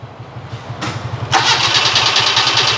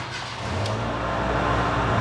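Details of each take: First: Proton Wira no-start: steady starter churning about three turns a second with a hiss, engine never catches; no spark reaching it, traced to a faulty ignition switch. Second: Proton Wira after its faulty ignition switch was replaced: the engine catches promptly and builds into a steady, even idle with no stumbling; a clean, healthy start.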